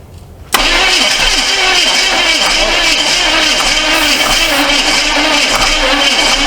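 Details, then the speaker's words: Neglected 1982 Chevy Silverado C10, first start attempt on a battery of about 12 volts: starter drags the engine over slowly and unevenly, about four turns a second, cables getting hot; battery judged junk. "Man, that battery's junk. Let's swap batteries."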